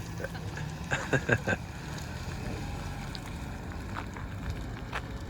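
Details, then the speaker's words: 2014 Chevy Cruze LT RS petrol engine idling outdoors: steady low even hum, quiet and smooth, no knocks, ticks or misses under light wind buffeting; normal idle. "but listen to the car run you guys can hear it's it's quiet and it's running smoothly at the moment it's not not doing anything that it shouldn't out of the ordinary"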